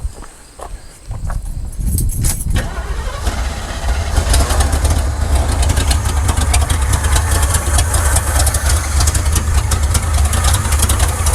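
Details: 1979 Chevrolet C10 Custom Deluxe, timing being adjusted, no blue smoke: cranks, catches, settles into an uneven, lumpy idle, then dies; rough running, timing ruled out, plugs suspected.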